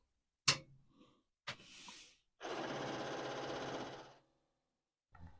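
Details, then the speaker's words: Commodore 4040 dual 5¼-inch IEEE floppy disk drive, first power-on: sharp click, short buzz, steady rattle of head stepping, then a final click; normal power-on seek, whether it works is unknown. "okay well that's hopeful it's making the right sounds but is it working I don't know"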